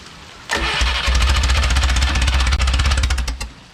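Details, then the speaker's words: Original Renault 4CV engine (circa 1949-52, welded cracked block) reassembled after ~70 years in parts, being adjusted step by step: cranks, then uneven stumbling firing bursts that smooth slightly before cutting out; getting better. "seems to be getting better and better i don't think that moved at all"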